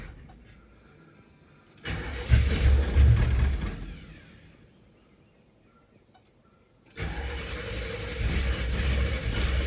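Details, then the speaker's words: 1974 Camaro with a built 350 V8, unstarted for a long time and prone to flooding: it catches roughly after long cranking, sags nearly to a stall, then refires into a lumpy idle, with oil pressure near 50. Rough hard start. "good she's not happy [Music] oh it's been quite some time since it's been started"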